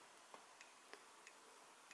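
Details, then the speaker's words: Amiga 1200 rev 2B motherboard with a red RGB fault: an audio logic probe on the DAC side of a failed 68-ohm resistor gives only a few faint ticks, about five in two seconds, over quiet hiss, while the Lisa side has pulses. Hardly any signal gets through. "Oh, you get a tick. Yeah, so hardly anything is getting through."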